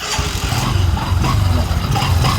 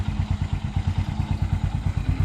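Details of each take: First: Honda CT125 motorcycle running: heavy low rumble with a faint wavering howl on top that gets worse when accelerating. The cause is a worn clutch housing and primary pinion gear, and both will be replaced as a set. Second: Motorcycle after the clutch housing and pinion gear were replaced: even steady thumping idle at about seven to eight beats a second, no clatter or grinding from the clutch side. It runs smoothly.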